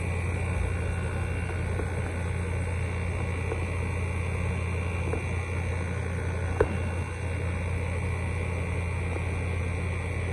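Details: Midea 5000 BTU window air conditioner from 2021 with a GMCC compressor and Welling fan motor, started on the lowest setting: smooth, constant low hum with a soft fan hiss, no rattles or surging; compressor running normally.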